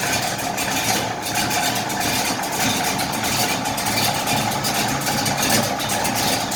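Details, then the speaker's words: 1968 Chevy Impala with a cammed V8, starting instantly on the key: a lumpy, choppy idle with the uneven loping beat of a big cam, steady and without misses. The engine sounds healthy. "you click the key on hit ignition boom it's running it's cammed out man that sounds good"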